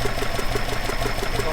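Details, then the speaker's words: Alfa Romeo 105 GTV with twin 40 mm Dellorto DHLA carbs unbalanced, idle raised slightly: uneven, lumpy idle with a wobbling beat, running rough and vibrating; synchrometer reads 4 vs 2. "we going take one reading now the engine's quite rough vibrating quite a bit it's not synchronized"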